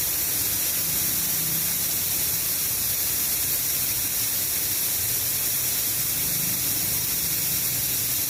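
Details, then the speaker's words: Shark 1 HP twin-cylinder belt-driven air compressor (550 rpm, 83 L tank, 7 bar): the motor is off because the tank is still pressurized, so air is bled through the open tank valve; loud, constant rushing hiss; normal pressure release. "Kenapa belum menyala karena dia tekanannya masih lawan puluh Oke jadi kita harus kurangi tekanannya dulu ya kita Nyalakan kerennya buka kram ya Kita buang angin dulu ya"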